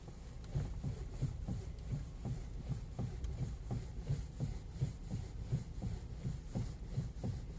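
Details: Kia Ceed FL: quiet, dull thumps at roughly 85 a minute with little else behind them; worn steering rack knocking.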